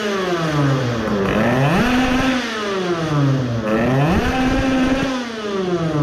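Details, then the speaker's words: Tuned two-stroke moped at full throttle, mixture should now be better and ignition not too advanced: buzzing note sweeps up and drops back twice, pulling cleanly without fading; sounds like an illegally tuned moped. "and see if it is fading anymore with the good airflow sounds like an (illegally) tuned moped"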